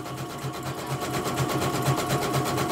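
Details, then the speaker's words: Embroidery machine sent in for repeated jamming and skipping bobbin-case hook; test run after service: even quick needle thump about four to five a second, smooth and unbroken, no jamming or catching; stitching cleanly. "Oke, ini kita tes ya. Suaranya juga halus."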